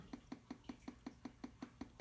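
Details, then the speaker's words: 210 I/O board fitted in the computer, powered on: sharp, evenly spaced ticks about five per second from the speaker; pressing the interrupt button briefly stops the clicking, but it keeps going even when held. "if I press the interrupt you can see I can mess a little bit with the clicking it temporarily stops to clicking but it keeps going even if I press and hold interrupts"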